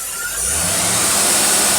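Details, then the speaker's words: Motorcraft 4300 carburetor off a 1967 Thunderbird crew cab, tested on a running dyno engine with the dyno off, idling about 700 rpm: engine climbs smoothly into a strong rev with loud intake rush, no stumble or popping; carb working properly. "now listen to this thing and she swerves just like she's supposed to"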